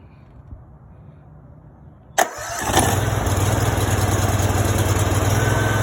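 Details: Brand-new Honda GX630 20 hp engine, 0 hours, freshly assembled, first start on choke: short crank catches at once and settles into steady even idle with no misses; clean first start.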